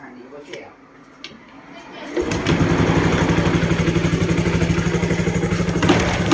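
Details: Honda Wave 110i after re-rebuild fixing hard starting and no compression following a rebore and new rings: starts and settles into quick even putter about four beats a second; normal idle, compression restored.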